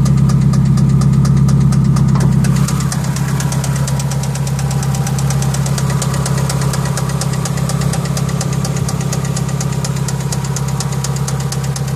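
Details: Engine at idle with a steady, sharp bottom-end knock near three per second over a deep rumble; first questioned as rod knock versus hydraulic lifter tick, confirmed as rod knock when the engine later blew.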